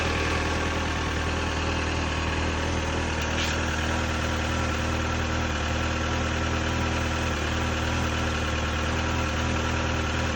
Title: r56 n12 mini cooper cold start with piston slap